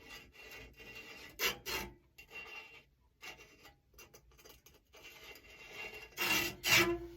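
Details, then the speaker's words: Push reel mower being sharpened: reel turned by hand after coating every blade with lapping compound gives bursts of dry gritty rasping with quiet gaps, the grit grinding between reel and bed knife. "but you want to ensure that you have every every one of them coded you can start to hear that that's that grit working in there"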